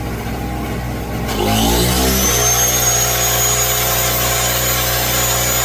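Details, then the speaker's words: New Pulsar 1200W portable generator, choke-started, powering an air compressor filling a 200 PSI tank: engine revs up sharply to a strained high drone under the load, seeming barely able to handle it. "This is working full power when you can hear that thing working."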